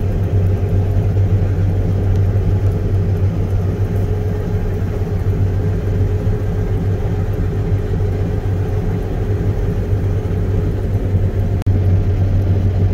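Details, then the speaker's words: Combine straight-cutting canola in wet, tough conditions with the header engaged: deep, steady, non-violent rumble with low uneven churning under a constant engine drone as it labours under heavy crop load. "he sure is rumbling this it's not a violent Rumble but you can definitely hear there's a lot of stuff going on down there"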